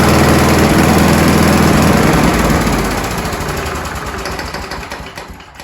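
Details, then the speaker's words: Scott Bonnar alloy-bodied mower, Briggs & Stratton Sprint 375 4-stroke, stone-cold engine after three primes and throttle slightly down: fires on the first gentle pull into an even, quick putter of about four beats a second that fades steadily; a clean, healthy cold start. "So there we go, folks. As you saw, that was the first pull start. I really didn't even pull the handle that hard, and away she went."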